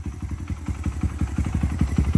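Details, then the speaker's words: Honda XR100 with a big bore kit and BBR cam, warmed up on a 22 mm carb with a modified intake, after timing and valve clearance adjustment; crisp, even single-cylinder popping at about seven beats a second. It idles cleanly. "got her warmed up on that 20 2 mil [Music] mcone that's what she's supposed to sound like so obviously that intake working good for us"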